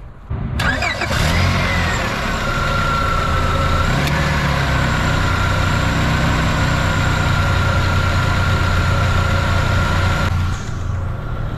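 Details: 2001 Honda Accord after replacing the serpentine and AC belts: engine cranks and catches quickly, then settles into a smooth, even idle with a faint steady whine; runs normally.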